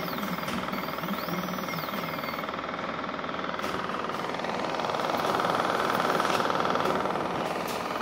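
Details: Uniz UDP resin printer during a first 28mm miniature print, with a hard suck on the resin tray: a steady mid-pitched hum under a regular rumble like a small freight train, an abnormal noise of unknown cause.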